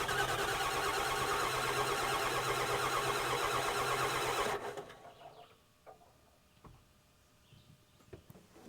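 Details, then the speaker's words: 1997 Ford F350 7.3 diesel with a mechanical fuel pump that lost power with heavy white smoke while towing and died: steady cranking at about three turns per second, never fires, a little white smoke; water later found in the fuel filter. "so we got a little bit of white smoke but that's that's about it I've cranked it more than what you guys have seen"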